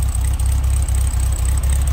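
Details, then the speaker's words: 1966 VW Beetle, manual transmission, restored ex-California car: air-cooled flat-four heard from the rear engine compartment at idle, an even, steady low chuffing with no misses, knocks or ticks, running smooth and not smoking; normal idle. "Well, first of all, just let you hear it run. That iconic VW sound. And smooth, see it's not smoking."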